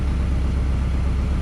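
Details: Subaru Impreza WRX GC8 with intermittent no-start, just after the loose battery terminal was tightened: low, even idle rumble with a steady beat and nothing rattling or missing; normal idle.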